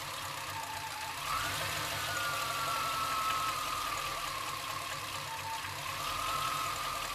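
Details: Chevrolet C-1500 Scottsdale, 350 TBI, at idle: a dull, uneven beat that dips and recovers, sometimes idling so low it dies; rough idle, cause not found despite many attempts.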